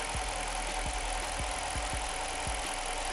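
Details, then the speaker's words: Jeep Commander 5.7L Hemi V8 after lifter replacement, idling steadily with only a light, even fuel injector tick, no shaking, no misfires, check engine light off. "listen to that all you hear is injected"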